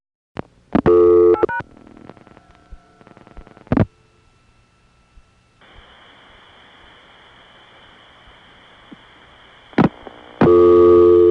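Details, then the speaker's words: Early-1980s call from a Brooklyn Crossbar 5 through Brooklyn Tandem on the 7-digit revertive pulse protocol: a few line clicks, then a steady, even tone. Genuine Crossbar 5 busy signal. "Here's an example of the real busy signal from a Brooklyn Crossbar 5 going through Brooklyn Tandem on the 7-digit RP protocol."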